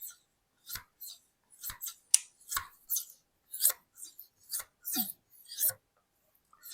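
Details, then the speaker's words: Hedge shears after sharpening and honing with compound on leather: crisp, clean snipping strokes with an even swish and no catching. The blades close fully and contact all along the edge; normal closing. "It sounds amazing. You can see here the end closes up really nice. It sounds like it's making contact all the way along. It's super sharp."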